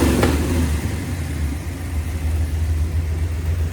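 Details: Mopar 383 V8 with a roller cam and lifters after flat tappet failures, about 900 rpm idle, 14° initial and 34° total timing: deep even rumble, a quick blip settling back to steady idle, no ticks or knocks. Healthy.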